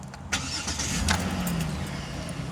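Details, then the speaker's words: 2007 Dodge Nitro that wouldn't start with one key fob, started with the working duplicate key fob once the red light goes out: quick crank, catches straight away and settles into even idle; normal start. "as you can see the the little red light is not blinking but however that light just went out so now I can start the car"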